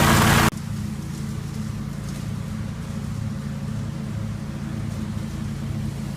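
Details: 1980 Jacobsen Turfcat 60-inch mower after PTO shaft repair and regreasing: a brief loud burst, then a smooth, even hum with no misses, knocks or grinding; runs healthy.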